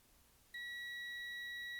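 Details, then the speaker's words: Multimeter in continuity mode testing one of two motorcycle fuses, one of them blown: after half a second of quiet, a steady high beep holds to the end; continuity, so this fuse is good. "Excellent. Il y a une continuité, ça veut dire que ce fusible il est en bon état de marche."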